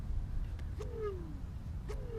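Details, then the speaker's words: EcoReco M5 electric scooter with a gearless direct-drive rear hub motor spun by hand; two short humming tones fall in pitch as the wheel slows, which is normal magnet drag. "can hear the humming and you can see that it's sort of dragging. And again, I believe that inside there's a gearless direct drive motor, and those are known for being, you know, really durable."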